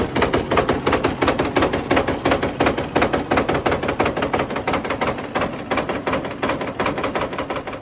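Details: Fiat 450 Special diesel tractor on a very cold day, run after working ATF out of cylinders and sump: heavy metallic hammering almost three blows a second over rough running; later flywheel spins without the internals, crank suspected snapped.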